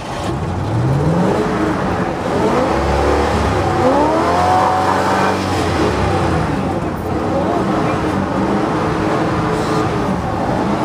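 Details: 1970s Ford truck badly flooded after stalling, long cranking nearly killed battery; hard repeated revs rising and falling, rough and uneven at first, as the flooded engine clears out.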